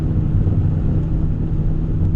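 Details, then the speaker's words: 1990 Honda Civic running without a muffler or resonator, heard inside the cabin: a steady, deep rumble and constant low drone that turns raspy and droney at certain highway speeds. Exhaust drone from the missing muffler. "the problem is when you're out on the road when you're on the highway at certain speeds it gets really raspy really droney and there's nothing you can do to control it it just is it gets irritating"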